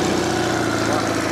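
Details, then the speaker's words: Classic twin-carb motorcycle, cold start after flooding both carbs with no choke control: starts on one kick into a steady, even twin-cylinder idle with a smooth beat and no knocks or misses; tickover expected to rise once warm; normal idle. "so one kick very smooth engine"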